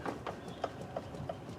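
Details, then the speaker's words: 1976 GMC Motorhome on jacks, front end inspection, wheel rocked side to side: faint dull clunks about three times a second from front suspension play; lower ball joint or steering box play suspected, not confirmed. "so that whole thing's moving imagine me driving down the road and this is happening"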